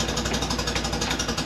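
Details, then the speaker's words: Fiat X1/9 after clutch replacement, first start in a few days, engine not yet tuned: uneven lumpy idle with steady pulsing beat and scratchy rasp; rough running, needs tuning, cause not confirmed. "so we're going to fire it up hopefully it'll it's probably not going to sound the best because still haven't like tuned it or anything like that"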